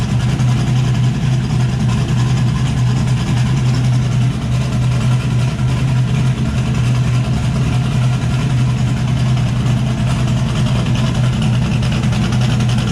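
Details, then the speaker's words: Turbocharged Chevrolet S10 after cleaning driver's-side parts with carburetor cleaner, no longer running on five cylinders: even, steady idle with a deep drone, cam audible, no skips; normal idle on all cylinders. "here you can hear the cam a lot better since it's not maybe well since it's not running on just five cylinders"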